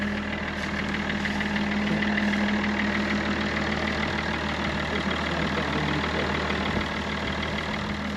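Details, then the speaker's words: BMW M57 diesel, still in the BMW, first test run before a Land Rover Defender 130 swap; turbo has 15–20 mm play and oil is blowing out the exhaust: even idle, light regular clatter, no knocking or misfire; sounds pretty good. "That actually sounds pretty good."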